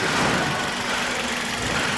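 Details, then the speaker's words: 2005 Toyota Corolla gasoline engine after partial rebuild, microphone near engine, after long crank to pressurize fuel: even, steady idle with no knocks or ticks and a smooth hum; engine running cleanly, no leaks. "O motor tá ficando redondinho, cara. Olha que beleza."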